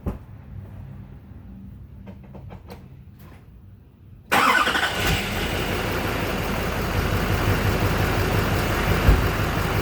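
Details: 2007 Chevy Silverado LBZ Duramax diesel after heater hose replacement, started to check for leaks on a hot day: cranks briefly, fires right up and settles into a steady, even idle with no misses or knocks.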